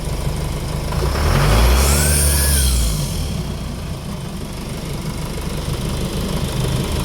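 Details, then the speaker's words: Jeep Cherokee KJ 2.8 VM Motori diesel just after timing belt replacement and belt idler fix: clean rev rising and falling smoothly to steady idle, no belt squeak on cold start; healthy. "See it doesn't move now. The belt doesn't squeak when you start it up cold."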